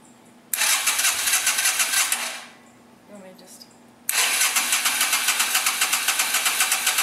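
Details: 2007 Yamaha Virago 250 after a carburettor cleanout, tank drained and refilled with new fuel: the starter grinds at about three or four pulses a second, stops, and cranks again without catching; choke was tried next.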